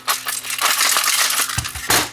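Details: Refurbished Technicolor 4K IPTV cable box tipped by hand, with sharp metallic clattering in bursts; it rattled straight out of the box because a heatsink came loose when its heat-brittled cheap plastic pins broke.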